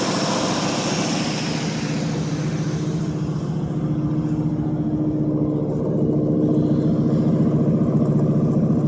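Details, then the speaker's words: 1952 Ford Customline 239 cubic inch flathead V8, cold start after probably one to two months sitting, 12-volt jump pack on the 6-volt battery: low steady burble at about four beats a second, no ticking or clatter; smooth, healthy idle. "Let's listen to that old flathead just taking purr. Quiet as can be."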